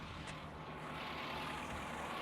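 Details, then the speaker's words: 2013 Ford F350 Lariat 6.7 diesel, batteries just replaced: steady, even, very quiet idle with a smooth hum and no ticking or knocking; healthy diesel idle, though some coolant or water was seen nearby. "And that's the way it's supposed to sound like. $160,000 on it, but it's insanely quiet. Nothing ticking, nothing knocking."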